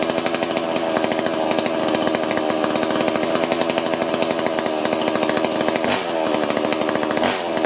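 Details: Chainsaw that won't cut despite sharpened chain and lowered depth gauges, covers off near the clutch drum for a carb-cleaner air-leak test: steady rattly pitch with a couple of quick throttle dips; runs poorly, air leak only suspected.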